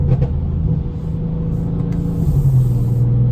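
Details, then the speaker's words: 2018 Mercedes-AMG C63 S stopped after leaving the dealership, transmission temperature climbing: loud, steady low fan-like hum over idle; cooling fan running flat out because a punctured radiator was leaking coolant, fixed with a new radiator. "just left the dealership again you hear that humming sound like a loud fan a noise or something like that"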